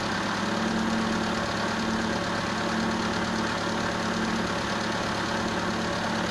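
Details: Steady idle with an airy hiss over the engine and a faint on-off whistle; vacuum leak at the MAF sensor.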